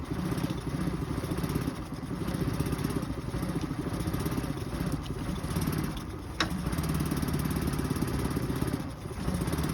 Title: 2023 Suzuki 9.9 efi problems rough idle at random time #suzuki #suzukioutboards #outboards